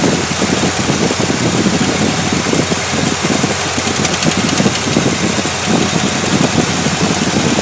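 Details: Chevrolet LT1 V8 at idle: light, erratic, uneven ticking through the mid range over a steady hum; suspected lifter tick, source not confirmed.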